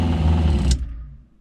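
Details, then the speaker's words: RV fresh-water pump after four quieting fixes, with accumulator tank, microphone inches away with the compartment door open: low, soft steady hum ending in a light click, no rattle or buzz; pump running quietly as it should. "So you can hear it pumping, and I mean, I'm inches away and it's not that loud. And if I have this door closed, it's really pretty silent."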